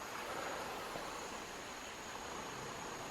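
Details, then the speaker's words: Engine leak-down test with the engine off, cylinder two on its compression stroke: steady, quiet, airy hiss as air escapes. Leakage is higher than cylinder one's 20%. The cause is unconfirmed. "yeah i don't know if you can hear that but the air is coming out of there"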